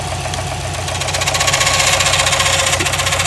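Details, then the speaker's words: Subaru WRX STI running with timing cover off: sharp regular ticking about four per second, resembling engine knock, from timing belt tensioner; noise stops when tension applied, so faulty tensioner, not the engine; rhythmic ticking from timing belt area. "hear all that noise and then the second I put tension on it no more noise"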